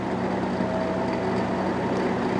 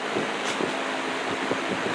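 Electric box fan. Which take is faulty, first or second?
first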